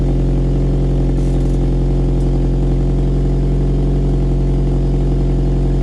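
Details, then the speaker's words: Toyota MR2 SW20 just fitted with Mongoose exhaust, at idle on first start; steady low idle with faint rapid puffing tick about three or four a second; exhaust blowing at the decat pipe joints, cannot be tightened further. "Blowing on them two joints. That was not good. It's blowing where the decap pipe attaches on, and I can't get it any tighter, so I have to re-shimmy the old exhaust."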